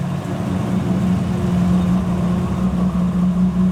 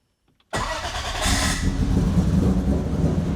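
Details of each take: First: 1000+ HP MK4 Supra on a ProEFI standalone base tune: steady fast idle at about 1800 rpm holding a firm hum with no dip; idle too high, with the throttle stop or spring suspected, not confirmed. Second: 1000+ HP MK4 Supra with big turbo, 4-inch exhaust and ProEFI standalone base tune, restarted after a very rich initial AFR target of 12: quick crank that catches at once into a lumpy, even idle with deep burble; normal cold start.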